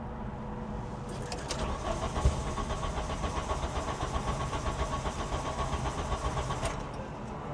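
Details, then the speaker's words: VW Cabriolet parked over 10 years, cranking: starter churns about four beats a second under a thin groaning fuel pump whine that suddenly began working, engine trying to catch but not running. "yeah I heard the the fuel pump was not working and then it started working just out of nowhere you could hear the pump it was groaning"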